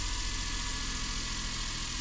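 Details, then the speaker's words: Suzuki Every 62V kei van left unused about 4 months, started on its own battery without the jump starter despite low voltage: steady, even idle hum with smooth rhythm, no stumbling or knocking; runs healthily. "やったんだ。かかってやがるよ。4ヶ月ほったらかしでかかってやがるよ。"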